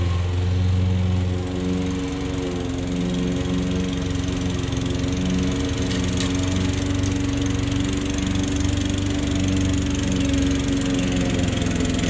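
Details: Old Toro lawnmower that sat for years, mowing. A firm, steady low drone holds its pitch as the blade bites into the grass, with no stumbling or knock. The owner suspects a sticking, fuel-dripping float. Normal running under load.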